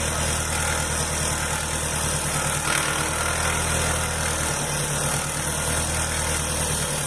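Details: 2003 Astra at idle: a constant, loud, high hiss and whir over the engine. Suspected worn accessory-belt tensioner bearing, to be checked by removing the belt.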